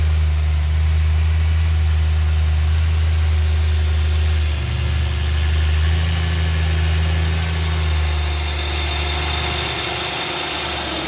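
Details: BMW M3 E92 V8, November 2008, 88,000 km, mostly city driving: idle with a fast, fairly even tick about four a second over the rumble; exhaust manifold leak, not conrod bearing knock.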